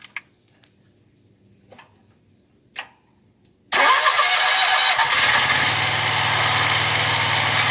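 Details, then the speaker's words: Wright Stander ZK mower just after hydro pulley replacement, first start: quiet, then the engine fires and picks up a steady hiss and hum with no knock or squeal; runs pretty smooth. "It's pretty smooth."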